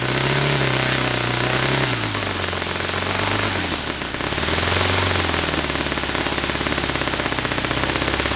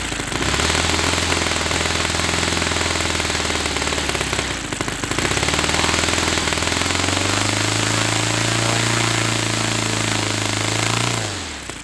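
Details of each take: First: Saito FA-300T twin glow model engine on a customer run with onboard glow on and a sticky, tight throttle linkage: fast, crisp, even firing that dips and smoothly picks back up through throttle changes; running well. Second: Saito FA-300T twin glow engine, cold start on original glow plugs that were checked glowing: rough lopsided popping drone sagging and climbing with throttle before dying; running on one cylinder, cause unknown.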